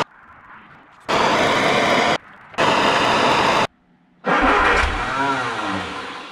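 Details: 1960 MG MGA 1600 roadster started after a very long time in a barn, with torch-heated spark plugs to help; suspected valve corrosion means low compression. Two cranking bursts, then it catches and runs with wavering revs. It then leaked oil from the oil pressure gauge hose. Normal start after storage.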